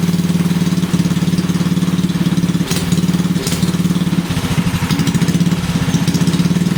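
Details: Briggs and Stratton 5HP single-cylinder engine after the starter clutch (sprag) was replaced: a putter held at steady speed with even firing pulses and no starter clatter; the engine is running normally.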